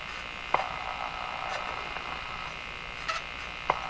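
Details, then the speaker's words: Westinghouse 535 radio on shortwave after its last two old capacitors were replaced: a steady high-pitched buzz with faint clicks as the dial moves. The set breaks into oscillation while tuning, likely from a mistake made during the work. "breaking into oscillation. So I've made some kind of mistake here."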